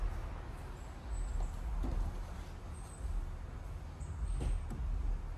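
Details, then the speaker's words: Audi A4 no-start after a customer-installed starter, fixed by properly seating the damaged starter connector and bent terminal: the engine catches and settles into a steady, low, even idle with no misses, knocks or starter noise. "so then apparently that is all that it was so that's diagnosing a car that won't start after someone else had put the starter on"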